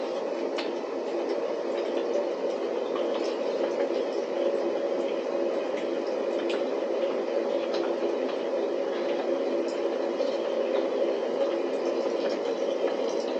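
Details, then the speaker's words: DIY waste oil burner after adjustments, flame deflected by a brake disc and heating up: steady even roar of flame and blower, no surging or sputter; normal burner operation. "It's sounding good. It sounds like it's blowing it."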